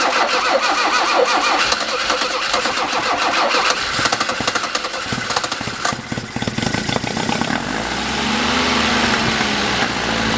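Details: Alfa Romeo with a SPICA injection pump that runs rich, after fuel system checks: long ragged cranking before it catches, then an uneven, lumpy, wandering idle; hard start and rough running, and owner suspects the pump needs replacing.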